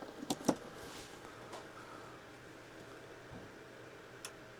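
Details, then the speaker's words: Upgraded Goldenmate LiFePO4 UPS switching back to wall power: two quick sharp relay clicks a fraction of a second apart, then near silence; transfer fast enough that the connected computer didn't hitch, normal relay transfer. "it just transferred back over. I heard the relay click, and it was fast enough that the computer didn't even have a hitch."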